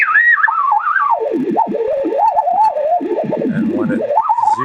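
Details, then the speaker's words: Vintage 1975 RCA WR-50B signal/sweep generator at 5 MHz, signal fed by wire antenna to a radio: whistling beat tone slides down in pitch as dial turns and fades to zero beat, frequency matched exactly, confirmed by counter. "zeroes out, that's called the zero beat. So these frequencies are exactly the same."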